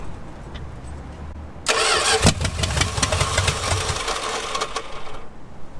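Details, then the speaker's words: 1946 Dodge Deluxe with swapped V8 on open headers, fed from a gas can: cranks briefly, catches and settles into a loud, lumpy but steady idle with no knocks or misses; then shut down over a loose fuel fitting. "that's the longest this car has run since I've had it sounded pretty dang good open headers right now"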